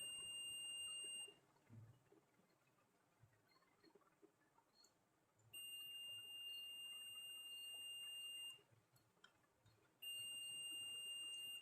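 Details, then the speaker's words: 15-inch LCD monitor that won't power on, multimeter continuity test in its power supply: a long steady high beep in three stretches shows full continuity where 500–600 is expected, so the bridge rectifier is shorted. "के metre में शून्य रहा है कि rectifier भी खराब हो चुका है लेकिन क्वांटिटी बराबर है अगर सही रहता तो यहां पर 500 600 आलू अमीर व इसका मतलब है मैं ब्रिज रेक्टिफायर भी खराब हो चुका है"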